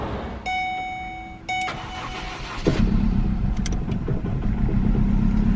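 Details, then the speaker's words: Ford Focus, 157k miles, bought non-running, finally starts after replacing a disconnected radio frequency sensor: starter whirs briefly, then engine catches and settles into a steady run with no stumbling. "look at that we are running guys we are running"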